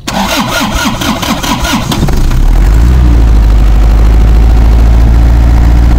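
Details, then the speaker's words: Old Isuzu Panther diesel that kept stalling as if air-locked: after cleaning dirt that clogged the fuel line and pump and bleeding air from the return hose, it cranks about two seconds, fires cleanly and holds a steady idle without dying. "Alhamdulillah untuk hidup untuk hidupnya tidak lannya tidak pindah seperti tadi waktu kita coba ya"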